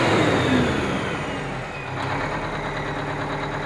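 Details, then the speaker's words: Aerodyne cabover truck, run after sitting 27 years, two different exhaust stacks: deep, even rumble easing from a rev back toward idle with no knocks or misses, runs good; normal diesel revving. "the exhaust looks pretty straight it's got two different stacks so they're not they're not perfect but uh but it looks good runs good"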